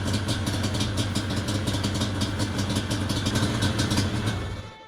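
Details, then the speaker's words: Yamaha Banshee 350 two-stroke after carburetor cleaning and adjustment, warming up with choke on: fast, uneven crackling and popping, then it dies once the thumb throttle is released; stalls when throttle released, won't idle. "as soon as I take my thumb off the throttle it dies let's take the choke off yeah it dies as soon as I let off the throttle"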